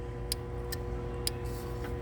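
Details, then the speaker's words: 2014 Jeep Compass with no crank, no start and codes P0600/P0688, key on, engine off: sharp irregular relay clicking over a steady hum while the test light glows dim on the ASD sense circuit; the cause was a pin not fully seated. "It's dim, and I can hear the relay clicking too actually."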